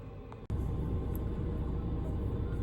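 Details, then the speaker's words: Diesel heater fitted in a work van, running at home off a power supply giving constant voltage: a steady, even low roar with no surging, popping or misfire. It is burning cleanly and running normally. "so that's me back at the house as you can hear the diesel heater is still gone"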